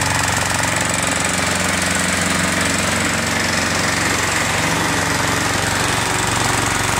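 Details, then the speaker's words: Lawn mower after a pre-season service with a new spark plug, new air filter and sharpened blade: a fast, even single-cylinder chatter at steady speed with no cutting out or surging; it runs properly. "kucharka bardzo ładnie pracuje nie przerywa"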